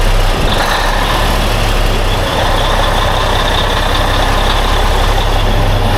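A steady, even low diesel rumble at idle with no ticking or misses. It sounds like a healthy old tractor engine.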